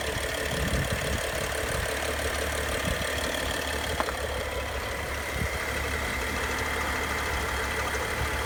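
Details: BMW N55 engine with both chains, VANOS units, belt and pulleys all new; steady idle with busy metallic chatter and scattered light ticks, source unknown to owner; abnormal engine noise at idle.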